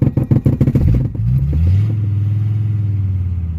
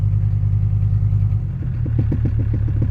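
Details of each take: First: Mercedes OM617/616 diesel just after replacing the injector return lines and fuel filters: lumpy, uneven chuffing at start-up, then it smooths into a steady idle as trapped air bleeds out under throttle. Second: Mercedes OM617/OM616 diesel after replacing the injector return lines and fuel filters, filling the new filter and bleeding air, then starting after glow plugs with some throttle: rough uneven clatter settles into a steady, even idle knock of about three beats a second.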